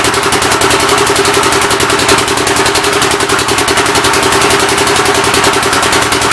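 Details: Rebuilt engine on its first start attempt, with temporary ignition and fuel fed by hand: harsh, rapid, uneven popping and rough running. The intake valve seems to be leaking but not hanging open; the plan is to pull the head and lap the valves.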